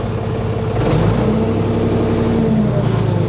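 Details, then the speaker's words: Newly bought older Ford 555 backhoe diesel, started after sitting parked since the day before: fires right up, pulls smoothly as the throttle opens and holds a steady, even, fairly quiet note with no knock or misfire. Sounds healthy. "there you go fires right up and runs nice and smooth and even fairly quiet for what it is so this thing sounds nice and healthy"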